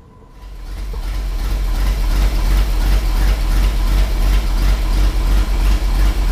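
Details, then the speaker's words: Ford F750 haul truck stock gasoline engine restarted after fuel pump below coil overheated: deep, low, even quiet idle with steady beat, no knocks or misses; won't run past idle, shop full of smoke; normal idle. "At least it runs, and we know it runs. I can't get it to run past idle, and I'm not going to screw with it because I'm pulling the engine out. Sounds good. It does sound good. It runs real good."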